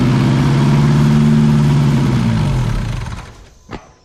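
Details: 1981 Chevy LUV pickup after rewiring, spark present but no fuel yet, fuel poured in to try a start: catches and runs about three seconds with an even, steady firing beat, then winds down; fires and runs cleanly.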